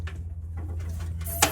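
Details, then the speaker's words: 1986 K3500 after a 12V Cummins diesel swap, hand-priming before first start: a short sharp squeak under a low rumble as the primer is pumped, normal fuel pushing past the relief valve, fuel now reaching the injection pump. "That is the fuel pushing by that relief valve. So we have fuel all the way into the injection pump."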